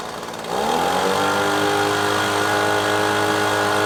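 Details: Echo PB-250LN handheld two-stroke gas blower that had been cutting out and bogging, after fuel change and carburetor adjusting-screw tweak: picks up cleanly and holds steady, even high-pitched drone at full throttle with no bogging; running normally.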